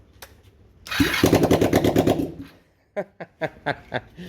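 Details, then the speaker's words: Derbi 100cc two-stroke fired up with tank on and sealed but no exhaust fitted: harsh, open rattling bark of quick firing pulses as throttle is blipped, then a few sharp pops. "i actually fired it up a minute guys telling stuart gary's head was down there somewhere and i forgot the exhaust wasn't on it was pretty funny"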